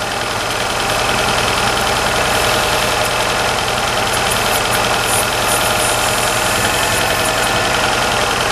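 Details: Hyundai with a rough cold idle: low, lumpy running with an uneven pulse of about three beats a second. A fuel pressure regulator diaphragm leak was checked and no fuel was found at the vacuum hose; cause not confirmed.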